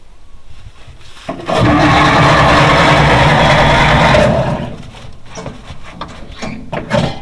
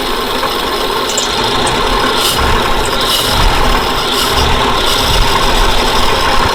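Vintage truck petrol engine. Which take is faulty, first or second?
first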